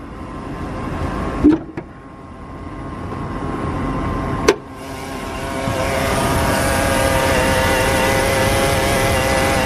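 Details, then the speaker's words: Jeep a week after a power steering pump replacement: thin steady whine rising with speed over road noise; owner suspects a main drive belt, power steering or alternator, unconfirmed. "I'm not really sure what noise that is it sounds like it's from one of these main drive belts maybe power steering maybe not"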